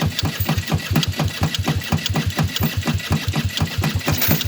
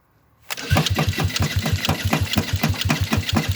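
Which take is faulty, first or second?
first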